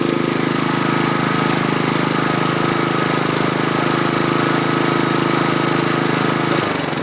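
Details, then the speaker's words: 2011 Troy-Bilt 21" push mower, Honda GCV160 engine, after stale gas drained: steady, even single-cylinder chatter, smooth quiet exhaust, then shut off; normal running. "That sounds smooth. I like it. So that was a success story on the Troy-Bilt Honda. It's got a nice smooth sounding muffler, nice and quiet."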